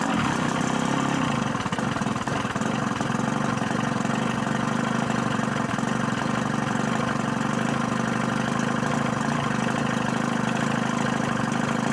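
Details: Pontoon boat engine being started for the season after both relays were replaced, water and fuel on and primed: catches and runs at an even, steady idle with water rushing; no knocks or misses, healthy.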